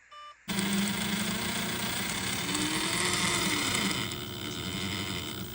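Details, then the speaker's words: Axial Gilamon 1/8 buggy with Hobbywing Fusion 8 brushless motor: harsh, rock-like grinding over a high whine. A pinion likely of the wrong cut for the Axial gears mismatched the spur gear without binding; fixed by refitting a 14-tooth pinion. "earlier you can hear that grinding and like there's rocks in there it was quite crazy um it didn't feel like it was bound up just the gears didn't seem to be lining quite correctly"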